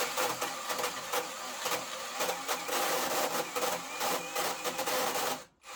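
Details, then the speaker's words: Narex CSP 12-2 Basic 20V cordless drill, 4 Ah battery, boring a 65 mm hole in spruce, under extreme load: high whir with an irregular metallic clatter, gearbox rattle, probably from damage; lacks power in second gear. "Vous pouvez donc écouter le son que le Narex commence à faire sous une charge aussi extrême , mais bien sûr la perceuse n'est pas construite et ce n'est pas un interrupteur sur l'embrayage, mais en général la transmission reste un peu bruyante , donc il y a des cliquetis qui est probablement causé par des dommages lors"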